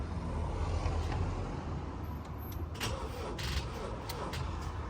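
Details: Salvaged Ford Transit Custom, unstarted about a month: slow, labored cranking about four beats a second that never catches; flat battery, jumper then fitted.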